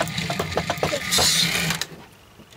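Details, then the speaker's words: Trix Collett Class 5600 2-rail model locomotive, sold as a non-runner, first tried on track before servicing; a fast, uneven chattering whirr stutters and surges instead of running smoothly: motor running very roughly. "right it's running very roughly but at least a and like all of these"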